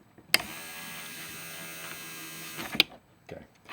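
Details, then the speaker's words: Datsun 280Z power antenna modified with a relay: relay clicks, motor runs with a steady high whine in reverse, then a second click stops it; antenna motor working normally. "You know, there's no relay clicking there. It's just a motor running because this is the unenergized state. Okay. Now the relay will click on and it'll reverse."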